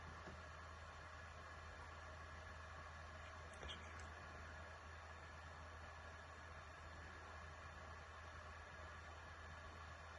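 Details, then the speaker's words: PS4 Pro after the thermal compound was redone, following jet-engine fan noise: only a faint, even airy hum with no rising roar; the fan is audible but much quieter than before and running normally. "I started to hear the fun but not nothing as it was before"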